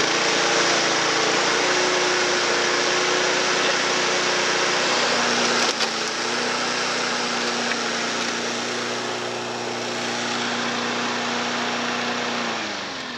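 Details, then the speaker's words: Mower sent in as a non-runner, started on fresh fuel: even, buzzy drone holding steady speed, then winding down at shutoff; runs cleanly, healthy normal running. "oh yeah it's a runner we've had a bit of a touch really all these mowers with a bit of fresh fuel in them they've actually all gone on to start up"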